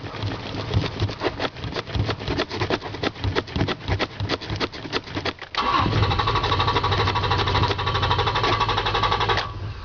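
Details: Toyota Tacoma, fuel-injected: starter cranks steadily at about three turns a second for over five seconds before it finally catches and runs; hard starting, slow to fire.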